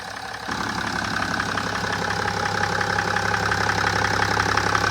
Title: BMW 530d E60 E61 M57N2 LCI 2007 clicking ticking noise engine bearings? valves? #bmw #m57